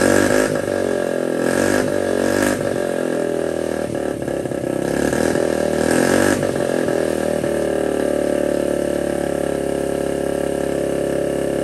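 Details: 1979 Honda Z50 with a loose, temporarily fitted SL70-style low exhaust: revs in several sharp bursts, then settles to a steady even putter; running cleanly.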